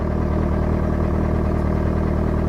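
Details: Tender outboard idling on a freshwater flush to clear salt: steady, even low putter, no knocks or misses. Cooling water flows and the telltale spits water; engine running healthy.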